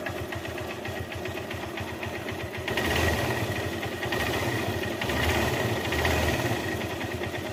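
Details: Motorcycle engine at idle with rapid, fairly even ticking that follows engine speed; abnormal top-end noise, source unconfirmed.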